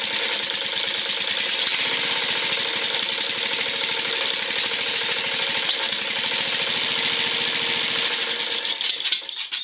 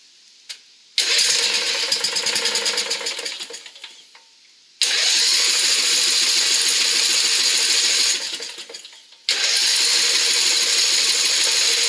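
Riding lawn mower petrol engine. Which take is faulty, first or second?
second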